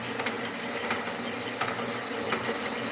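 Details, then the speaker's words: Harbor Freight saw cutting dry, without coolant or cutting oil: a steady cutting hiss with a sharp knock about every 0.7 seconds, once per blade pass, from a missing tooth on the blade. "I got a tooth missing. Listen. Y'all hear it? Y'all hear it knocking? got a tooth missing."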